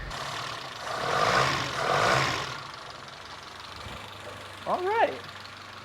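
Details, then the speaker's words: 1973 Toyota Hilux four-cylinder, abandoned about 20 years, running on fresh oil and coolant with oil pressure shown on the gauge: a low, even idle hum with no knocking or misses. Normal idle. "tractor engine sounds pretty good"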